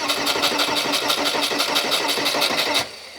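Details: VW T25 camper van: starter cranks at about three turns a second for nearly three seconds, tried without the glow plug relay, and the engine never catches; no-start.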